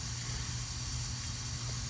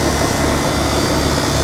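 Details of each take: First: R22 heat pump unit reading -19 on pressure after customer-installed capacitors: steady high hiss over a low unit hum from the back side of the solder joint on the filter dryer; refrigerant leak. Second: HVAC outdoor condenser after defrost board replacement and reconnecting the forgotten compressor common wire at the contactor: steady, even fan rush over low compressor hum, no clicks; running normally, though a refrigerant leak was later found.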